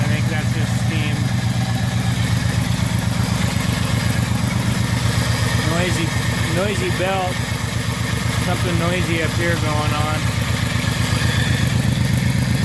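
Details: 1978 Scirocco with swapped 24v 2.8 VR6, first run: steady idle with sharp regular puffing about four a second, louder on revs; suspected exhaust leak.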